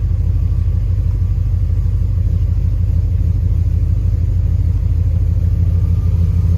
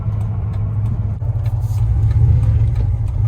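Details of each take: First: 1999 Dodge Ram 1500 with a 5.2 (318) V8 and 5-speed: rough, loping idle stumbling about three times a second from a misfire that is worst cold and eases when warm. It stored an O2 sensor slow-response code. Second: 1999 Dodge Ram 1500 with a 5.2 (318) V8 and 5-speed manual, driving after a new O2 sensor: idles low and steady rolling to a stop with no surging or stumbling; the earlier misfire until warm seems fixed.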